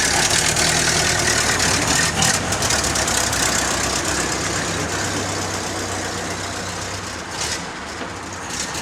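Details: Model A Ford stored in an Ohio barn over 30 years, cleaned but not yet timed, started on a 12-volt boost: uneven lumpy idle with a loose tapping beat about four per second and some hiss; owner suspects timing.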